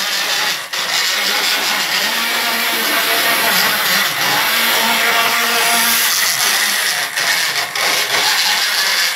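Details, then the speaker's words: Model railway N2 mainline locomotive running jerkily with intermittent stalling and is hard to start from a dead stop. Wheels and motor cleaned without effect; owner suspects warm motor brushes needing replacement. High buzzy whir that keeps dropping out and picking back up. "the motor brushes i think they're getting a bit warm on this one um because it's rather jerky in motion keep stopping and starting"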